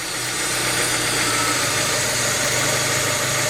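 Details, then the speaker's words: Warm petrol engine, idle speed control valve unplugged and timing fixed for base idle setting: turning the idle air screw clockwise restricts idle air, so idle sags lower and rougher, nearly stalling, and can kill the engine. "you can hear that idle drop down. Almost to the point of dying. In fact, I bet if I go far enough, there it goes. So if you cut off enough air supply, you can actually kill the motor."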